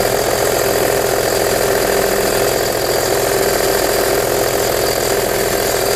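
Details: Audi A4 B6 2.5 TDI 120 kW diesel idling after cold-weather start: loose uneven clatter about 85 per minute over steady mid-pitched drone; source unclear.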